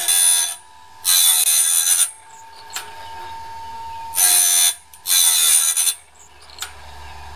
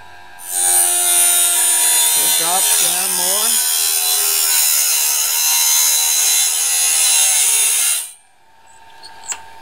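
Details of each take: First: Norwood band blade sharpener after the gullet height was readjusted: short, even bursts of high, gritty grinding as each tooth passes, clean and steady. The sharpener is set right and cutting properly. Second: Norwood band blade sharpener with the gullet height adjustment dropped possibly too far: a steady high grinding whine as the stone bites deep into each gullet, heavier than it should be. The gullet may be set too deep and is to be raised slightly.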